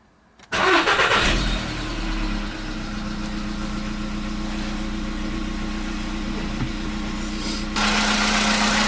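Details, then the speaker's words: 2015 Volkswagen Polo Sedan, 76,000 km, with a new battery after years of knocking on cold starts: short crank, catches at once, then an even, steady idle with no tapping or knock; normal cold start, knock suddenly gone. "Вот так, проехав 76 тысяч, двигатель внезапно перестал стучать."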